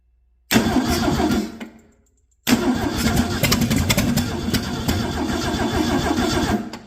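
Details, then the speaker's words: Ford 300 inline-six on a stand, mileage unknown, first test run without a carburetor on choked intake, timing not set: engine catches briefly, dies, fires again raggedly and fades; fires but won't keep running without a carburetor. "It will run of that. I am sure. It just needs a carburetor."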